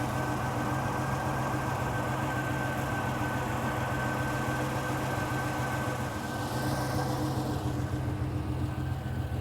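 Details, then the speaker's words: Vintage Ferrari 330 GTC after an upgraded electric cooling fan install, idling with the hood closed in the sun, air in the 70s°F: steady idle under a rushing fan whoosh that drops away as the fans cycle off; normal cooling. "But I could tell you right now that the air temperature I could feel is probably in the 70s. I'll leave the hood closed for now. You can hear the cooling fans running."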